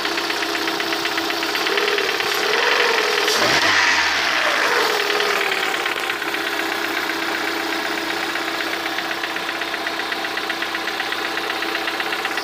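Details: Lada 21126 engine at idle: a light, fairly regular knock of about four per second comes through the engine and is most distinct at the end; the cause is unknown.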